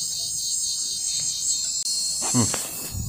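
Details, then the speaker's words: 1995 Magnavox 25TSC60101 CRT TV, 25B501-00AA chassis, no high voltage: thin high-pitched hiss with faint irregular chirp fades in, louder on channel up, changes when board flexed; power supply fault, owner suspects slightly bulged capacitor. "Okay, that sound you heard is going to come through the speaker for a split second. Then it's going to quit. And it doesn't seem like it's coming from the speaker, but somewhere over here."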